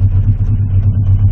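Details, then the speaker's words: Honda CB650C custom after carburetor cleaning, pilot screws set one turn out, target idle about 1,000 rpm, during pilot screw adjustment: low, slightly lumpy idle with faint uneven pulse, engine struggling; rough idle, cause not confirmed. "the star employees and if you can hear the engine struggling compare all so I will unscrew Houston all four"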